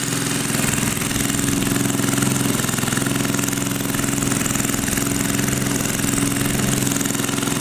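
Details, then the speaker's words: 1980 power tiller (rotovator) with Briggs and Stratton engine, idling after spark was restored; carburetor cleaning may not be needed. Fast, even single-cylinder putter at steady speed with no clacking or misfire; normal idle. "okay maybe we will not be cleaning a carburetor after all it seems to be running it's just fine"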